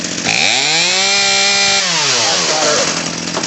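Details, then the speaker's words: Craftsman 18in 40cc chainsaw (358.350810) after new HIPA carburetor install and L/H/idle screw adjustment; climbs cleanly to steady high scream, holds without stumbling, drops smoothly back; carb set right. "that's it I think we're rocking and rolling now"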